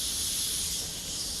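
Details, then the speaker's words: Constant sharp hiss of escaping air with no rhythm from a 1/2 inch air hose leaking at its crimped fitting, still leaking after tightening; to be fixed by replacing it with a reusable brass fitting. "I got here is a leaking hose, air hose. They would tip it all up, still leaking. You hear it, really bad."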